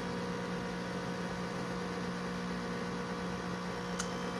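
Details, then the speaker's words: Macintosh SE with dual floppy drives and external 30 MB hard drive, booting System 6; constant loud low hum with steady whirring, owner believes abnormal fan noise and suspects dust: loud fan hum. "Hear that? Just ugly. Nobody can tell me that that's normal. I knew that the SE fans were loud, but that just doesn't seem right."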